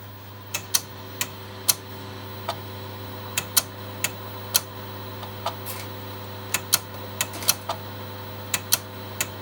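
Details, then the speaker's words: Megastor copying from C to drive B on two Shugart 8-inch floppy drives: sharp irregular clicks burst in clusters over a steady motor hum as the heads step; normal seek clicking for these clicky drives. "I'm going to copy everything from C to drive B. These are two SugArt drives, so they'll be quite clicky."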